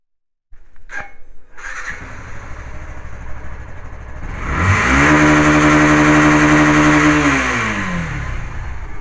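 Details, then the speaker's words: 2016 Yamaha FZ/Fazer V2 FI motorcycle, 54,000 km, engine never opened, started and given full throttle to the rev cutoff for a vibration test. Clean start, even idle, smooth climb holding a steady tone at cutoff; normal revving to limiter. "Start பண்ணி throttle full throttle cut off அடிக்கிற வரைக்கும் throttle கொடுப்போம்."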